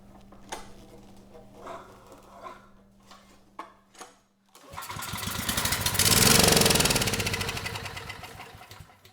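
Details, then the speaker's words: Generac WheelHouse 5500 W generator with Briggs & Stratton engine 204412, choke on, airbox off, start attempt: clicking, then catches and roars about two seconds blowing out grass, then dies; stall from ignition loss. "Okay, well that was something. But we did get a lot of grass flying out of there. And it did not stay running, which is probably a good thing, so it was going to suck up all that grass."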